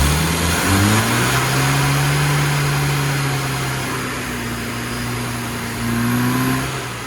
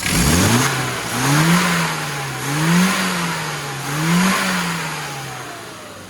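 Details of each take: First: Carburetted car on a road tune, 8° static advance but only 21° full advance, reached slowly: revs climb sluggishly with a dull, flat drone that won't pick up; under-advanced ignition with a slightly lean mixture needs a new advance curve. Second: Car after tune-up with new carburetor, aggressive advance curve, 0.8 ohm coil, new plugs with 35 thou gaps, 1.5k ohm leads and K&N filter: clean rising and falling revs in three smooth blips, crisp pickup, even settle; healthy.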